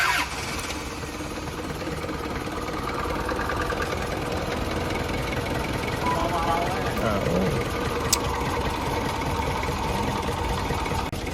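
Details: Car engine after replacing its 10+ year-old water pump and refilling coolant: catches and settles into a steady idle with no knock or squeal over workshop clatter; running normally.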